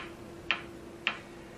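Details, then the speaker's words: Philco 39-7 tube radio: sharp regular ticks about every 0.56 seconds over faint hum; ticking speeds up when touching the diodes of the 75 tube and stops when touching the 78 grid; voltages off, cause unresolved. "I want you to hear the ticking stops when I touch this to well it'll speed up when I touch to the dodes on the 75 and it'll completely go away when I touch the um the Grid on the 78"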